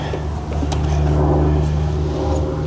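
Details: 1968 Chrysler Imperial Crown V8, abandoned 30 years, idling with bad coil, shot vacuum lines and radiator, fan clutch removed; rough low rumble with extra noise from down low under belt whir; slack in timing, needs timing set.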